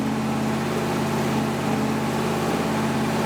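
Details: 1977 Ford F150 with a new V8 motor on first start and break-in; a steady, even low drone with no knocks, misses or surging, which is normal running.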